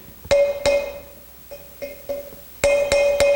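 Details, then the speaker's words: 1986 Harley-Davidson Heritage Softail front wheel bearing replacement: uneven sharp hammer taps with bright metallic ring; pitch change shows the bearing race has bottomed out. "says we're tapping this thing in we're gonna listen for it to bottom out and we'll get it in there it should be straight like that"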